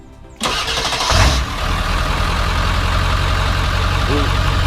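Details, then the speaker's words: 7.3 diesel truck just after starter replacement (old starter cranked very slowly): sharp start, quick strong crank settling into steady even diesel run; new starter turns engine over briskly, normal cranking. "guys that is a major difference in the starter this is so stinkin fast that is insane it used to just be really slow"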